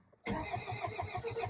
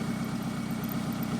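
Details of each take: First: 2002 Toyota Camry, 273,000 miles, sat over 5 years, coil pack wiring harness found cut: steady starter cranking with even compression pulses, never catches, tachometer not moving; cranks but no start, no spark suspected. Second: 2002 Toyota Camry, sat over 5 years, running cold after repairing cut coil pack harness and blown fuse: steady, even low idle with smooth regular pulse, no misses or knocks; normal idle.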